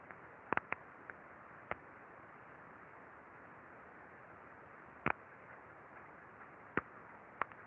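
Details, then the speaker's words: Early bearing defect on a slow-turning crane reel, heard through ultrasound: sparse, irregular sharp ticks under a steady hiss, still too weak to register on a vibration accelerometer; a good bearing on the same machine sounds smooth. "essas pancadinhas é o problema no rolamento só que essas pancadinhas gente se a gente for olhar na vibração elas ainda não tem energia para alimentar o acelerômetro"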